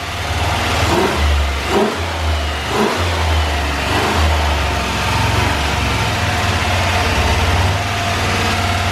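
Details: 6.0 LS V8 swapped into Cadillac, first start with red wire run straight to battery, oil pressure up: smooth steady low rumble with clean throttle blips, even firing; healthy idle, small oil leak at rear fitting.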